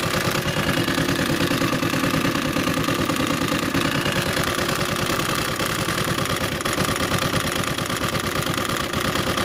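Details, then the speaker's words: Honda CG 150 single-cylinder motorcycle engine, valve cover removed, idling with fast uneven deep top-end clatter like a stone inside, not valve noise; cause found to be broken pushrod, burnt from lack of oil circulation. "Ahí está por eso era que nuestro motor hacía ese ruido desagradable porque tiene el lápiz o la varilla rota"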